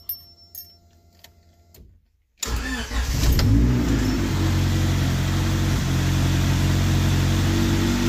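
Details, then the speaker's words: Crashed Honda Civic hatchback with a stock-manifold B20 high-compression engine swap and GSR transmission, unfinished, exhaust not fully bolted down: cranks, catches quickly and settles into a loud, even, raw-sounding idle; runs smoothly. "it's not done but it will run so what's fired up real quick"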